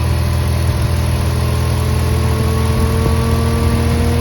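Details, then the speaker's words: BMW E46 electric engine cooling fan with a manual override switch (80 ohm resistor), engine running; switched on, it runs at full speed after a short delay: steady idle with an even whooshing fan roar, no rattle or wobble. "You hear? It's running! It works! Awesome! Very awesome!"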